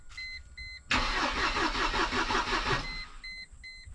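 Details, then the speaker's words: 1998 Mercedes C230 (W202) that sat in a field since 2018, cranked on very low oil: the starter spins it evenly for about two seconds between dash chimes with no galloping, so compression seems fine. "cool spins over I didn't really hear any Galloping or anything like that shush so the compression should be fine um even with having real low oil and whatnot it spun over just fine"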